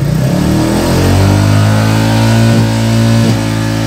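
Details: Royal Enfield Reborn Classic 350 (J1 engine), idle around 1050–1089 rpm, about 86 dB at the silencer: a steady single-cylinder thump climbs smoothly with throttle blips and settles evenly, with no knocks. Normal engine revving.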